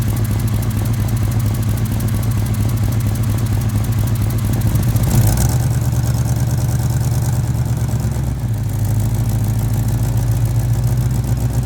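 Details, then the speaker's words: 1989 Chevy C1500 V8 with headers, cats deleted and Flowmaster 40s: steady idle with a fast puffing tick on each firing pulse; both header collectors leak, the right worse. "in fact there's more coming coming over here on the right collector both collectors are leaking"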